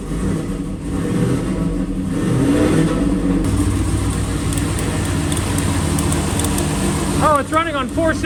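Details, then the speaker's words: Sleeper build with newly fitted turbo kit, no O2 sensors installed: lumpy, uneven running with a stumbling beat and no smooth rhythm; misfiring on half the cylinders because half the spark plug leads were left unplugged. "oh my gosh I don't have half the spark plugs plugged in gosh dang it I'm an idiot wow that's a new record that sounded pretty good for four cylinders"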